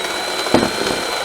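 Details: DeLonghi Magnifica Smart ECAM250.23.SB during a basic service, grinder adjusted, making a strong double coffee: steady buzzing grind with a brief rougher surge as beans feed in. Normal coffee grinder operation.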